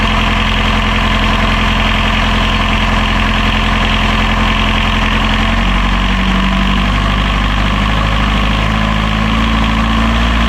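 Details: Healthy diesel genset idling on catamaran Marram, bench-tested and reinstalled in its locker, restarted during lithium battery bank commissioning after checking for reverse voltage; steady, even drone with a smooth low beat, no knocks or hunting.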